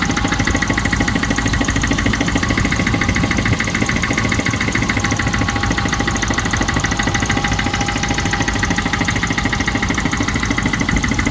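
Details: Range Rover Classic 3.5 V8 at idle: a fast steady ticking about three per second over the engine note. Owner is unsure whether it is an engine knock or tappets.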